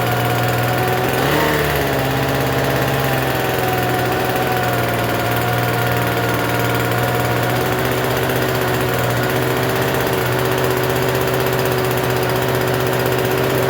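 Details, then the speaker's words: Free Troy-Bilt TB272V two-stroke leaf blower, restarted after sitting and being worked on: fast steady buzzing idle that never settles, still idling a little high even with the adjustment turned out as far as it goes. "Still runs a little high. Oh, so it still runs a little high though, unfortunately."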